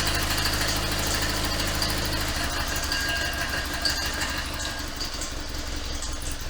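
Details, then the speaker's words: 1972 Invacar Model 70 engine at its first run with the full exhaust, cowling off, after an alternator job. A rough rattling slap and chattering whir come from belts flopping around, caused by a loose 27 mm crankshaft pulley bolt. "i'm gonna see if i can tighten up this 27 mil bolt a bit more because that sounds terrible yeah the main pulley bolt was a bit loose"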